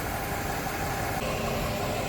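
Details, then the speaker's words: 475 Intrepid outboard, serviced after an earlier engine problem, at cold start on the water: an even idle burble with good oil pressure and no knocks. The engine sounds normal. "no knocking no noises she sounds like a yummy purring the good news"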